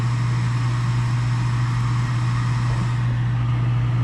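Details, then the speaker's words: Gas furnace after replacing an extremely loud draft inducer motor: steady even low hum from the new draft fan, no rattle or roar; furnace running normally. "That sounds much better now. Maybe we can hear the gas valve clicks."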